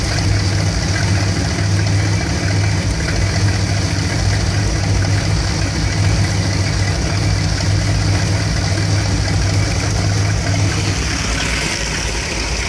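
Low V8 idle with an uneven, lumpy beat and occasional stumbles over steady exhaust rumble; the warm engine idles rough, cause unclear.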